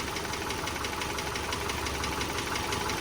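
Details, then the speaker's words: Warm 2010 Subaru Forester 2.5 L EJ25 boxer at idle: light, even ticking near three per second, injector noise or valve tick; normal, healthy engine. "sounds more like an injector noise or a valve tick you know but you look this engine's running nice and smooth and that's just the way they sound"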